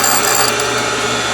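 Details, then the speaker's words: Valve refacing machine: even rasping whir in little bursts as the stone touches the spinning valve face, each burst as the dog tooth grabs the next feed gear; normal cut, no chatter. "all right the reason that you're hearing that noise in little burst is that it it coincides with each uh time that the tooth on the dog grabs another gear and pulls it in"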